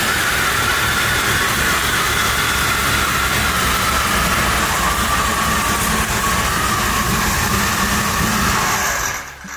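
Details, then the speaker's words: 2002 Chevrolet Silverado 1500HD rebuilt V8 with Vortech V3 supercharger, not yet plumbed or tuned, no coolant: loud lumpy big-cam idle with steady high supercharger whine drifting slightly lower, brief run after first start. "that sounds like a tornado that's a sound of tornado I've ever heard"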